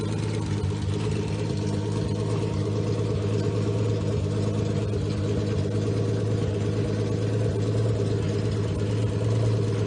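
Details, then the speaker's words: Freshly rebuilt Triumph GT6 2000 six-cylinder on run stand (double springs, dual chain, BP270 cam, shaved head, 150 psi compression, 80 psi oil pressure), no load; rigged old water pump makes its own noise: smooth, steady low drone, even beat, clean idle. "i assure you that's the that's the water pump and not the motor so i'm going to fire it up and let you hear it run"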